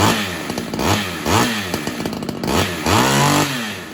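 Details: Ported Homelite XL-76 two-stroke chainsaw after fitting better fuel filter: revving in short surges, pitch climbing then sagging; suspected fuel starvation at high revs, filter didn't fix it, carb modification or heavier reed suspected.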